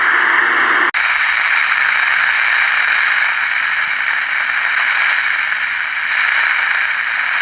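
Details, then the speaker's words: 1967 Zenith Royal 51 AM/FM transistor pocket radio, being repaired: steady AM hiss with faint crackle and no station, because the antenna capacitor is way too small for this antenna; testing for the right value. "so obviously the capacitor that's in here is way too small for this antenna so I'm trying to find the right capacitor value"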